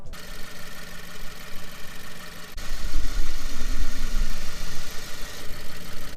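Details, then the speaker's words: 2016 Subaru WRX Limited with a replacement AC compressor fitted under warranty after the original seized at 34,000 miles: smooth idle, then a heavier drone and rough rumble as the compressor kicks on; noisy on engagement but it still works. "The compressor makes a noise when it kicks on, but it still works just fine."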